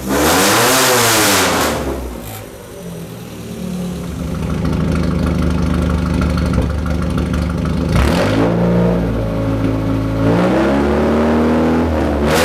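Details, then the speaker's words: Budget rat rod truck, first start after radiator leak repair, slightly warm, no choke; engine picks up cleanly on throttle, drops to a loud but even idle and revs again without stumbling; normal idle and revving, no more leaks. "this thing is noisy"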